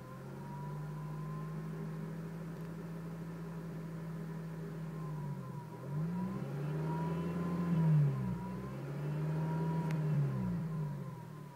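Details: 2006 Honda Civic Si petrol engine idling in neutral and revving: a faint thin whine over the engine note, a strange noise that started suddenly after a red light; the dealer could not identify it, loudest from the passenger seat.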